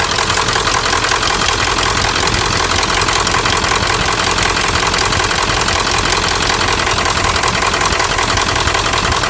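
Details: 1997 Ford F-350 turbo diesel at idle: steady clatter with sharp fairly even knock, roughly 160 a minute, riding over it; bad injectors suspected as cause.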